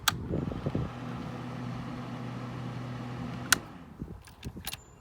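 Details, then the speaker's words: 1979 Honda Goldwing barn find, radiator fan run by a manual switch fitted in place of the untrusted cooling-system fan sensor: low, even hum for a few seconds between handling clicks; the fan spins steadily when switched on. "what i did was i just installed a switch in its place give it a listen if you can hear it"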